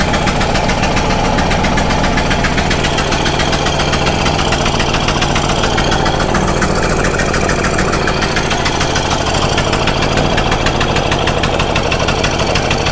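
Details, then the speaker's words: Stihl Magnum BR800 two-stroke blower at full throttle with choke off, after the high-speed needle is turned in slightly: loud, steady, high-pitched buzz held evenly with no surging or sputter, and a bit more pickup. Running normally. "choke is off has to be off on full throttle so [Applause] that thing definitely had a little bit of a pickup"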